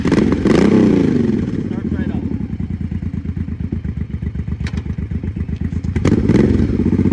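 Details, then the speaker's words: 33-year-old motorcycle, first run after sitting three years, after carburetor cleaning: even, steady exhaust pulses at moderate idle, rising smoothly on throttle blips with no misses or knocks; normal running. "this is me riding it around this is the first time in three years that this bike has ran hope you guys enjoyed"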